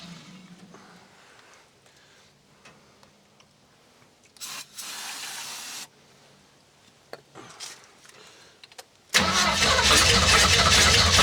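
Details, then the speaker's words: Classic Ford Mustang V8, engine swapped, sat for years, new oil, brake cleaner sprayed into the intake: weak uneven pops and coughs before briefly catching and roaring; rough start, owner thinks the choke works too well, possibly rich. "Oh, yeah. The choke doesn't, I think, is working, but too well."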